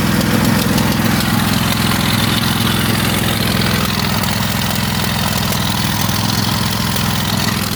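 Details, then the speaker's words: Craftsman lawn tractor twin, choke on, fuel leaking, suspected from carburetor: uneven lumpy idle with loping beat near 2.5 per second; still running on one cylinder as it has lately. "Yep, that's how it's been running lately. Since I got it running again."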